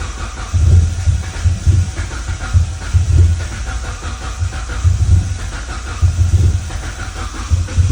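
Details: Crank no start after fuel pressure regulator replacement and fresh fuel: steady starter churning about two pulses a second, never catching; cause was a MAP sensor not fully seated.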